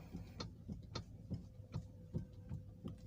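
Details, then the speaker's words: Toyota Alphard stationary, steering wheel turned left and right, gives dull uneven clunks about two or three a second from the steering; a common Alphard complaint that also clunks over rough roads. "kita coba dengan kondisi kendaraan diam dan setir di belokan kanan kiri seperti ini jika Oh ya terdengar suara klerk ya"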